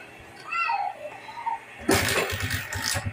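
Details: Barako motorcycle single-cylinder engine, previously had ignition power but would not start, after removing a faulty gasket: fires on first try after a quiet pause and keeps a steady, even thump; starts normally.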